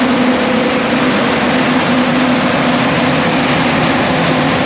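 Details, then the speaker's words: Caterpillar C15 700 hp diesel generator, first run in about 3 years after fuel priming: loud steady even diesel roar with no knocks, misses or surges; running smoothly and healthy. "So, I'm going to prime this guy. All right. So about to give it the at least my initial start up. See how it goes."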